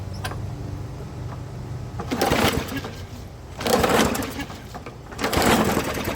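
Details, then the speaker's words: Old walk-behind lawnmower started after its bent, shorted spark plug was replaced: small engine surging with loud, raspy, unmuffled bursts about every 1.5 s, sounding like backfire but not; the muffler has been wrecked for 6-12 months. "Now it sounds like shit, but that's because the muffler is wrecked. The muffler's been wrecked for 6 months or a year."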